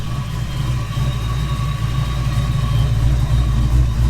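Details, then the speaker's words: Foxbody Mustang after new 255 lph fuel pump and -6AN lines: steady, even low rumble with a smooth idle, no knocks or misses; good oil pressure, charging, check engine light on for unknown reason. "Check engine light on, not sure why, but looks like we got plenty of oil pressure, battery's charging, so we're gonna let her idle. It's been a while. Sounds good."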